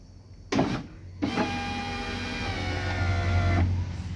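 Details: 2016 Chevrolet Classic power window after lubricating the regulator mechanism that had noise and near-binding: smooth motor whir about 2.5 s at even pitch, no grinding; normal operation.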